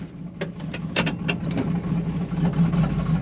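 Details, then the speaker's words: Turbo stock Vortec 350 small-block Chevy dually truck after 16 psi boost, coolant spraying out the back of the head; rough uneven running with deep drone and scattered sharp pops while driven home, warming up: very badly blown head gasket. "blown up she done all right we're gonna try to debut her home very badly blown head gasket very badly blown head gasket"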